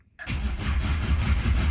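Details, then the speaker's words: Mk1 Vauxhall Cavalier, unrun for 8 years, oil pump primed with oil through the pressure-relief-valve bung, cranked without fuel: even cranking at about five pulses per second, turning freely without firing. Oil light comes on, then goes out. "And now you can see when I crank it, oil light is on,"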